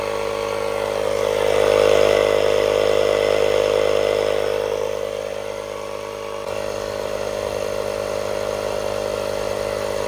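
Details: Hulkman Alpha Pro portable tire inflator run from a 12V socket at 50% battery, powering up and inflating a tire; a steady, buzzy, high-pitched drone at an even pace with no stalling or labouring. Runs normally, using about 1% of the battery.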